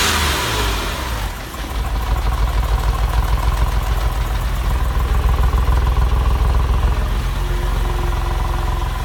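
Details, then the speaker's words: 2000 Porsche 996: brief rev then idle with a lumpy, uneven exhaust beat, misfire on bank two (left tailpipe) from a faulty hydraulic lifter losing oil pressure at idle; smooths out when revved. "it smoothens out again so it looks like we have a faulty lifter what happens is when you rev it up you've got good oil pressure in the lifter the lifters okay and then when you let it idle there what pressure drops and that's when the lifter will act up"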